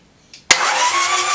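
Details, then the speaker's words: Toyota B diesel in a 40 series LandCruiser, first start after rebuild, cranked with the glow plugs out to remove compression and check injectors spray: sharp starter clunk, then smooth, fast, even spin with steady whine and no compression pulses. "so what we're doing here might look a little bit weird we're cranking it over with the glow plug out of course so it doesn't have compression and also so we can make sure that all of the injectors are firing properly"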